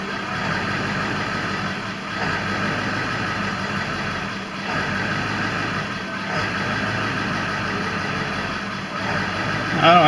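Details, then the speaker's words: 2000 Ford F-350 7.3 Power Stroke diesel at startup: idle rises and sags about every two seconds and never smooths out, an intermittent erratic idle; the truck also sometimes starts and dies. "there were other times where i would start the truck and it would search for a smooth idle it would fluctuate the idle and it would not smooth out at all like this"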